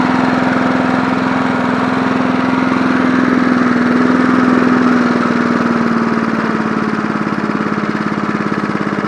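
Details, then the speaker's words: 1980s John Deere NO20K push mower, original Champion spark plug reinstalled, deck tilted up: steady, even putter with constant tone holding through, never stumbling; smooth idle. "That idle's smooth. Not bad for an oldie, but but a goodie. Man, that thing sounds good for a 1981."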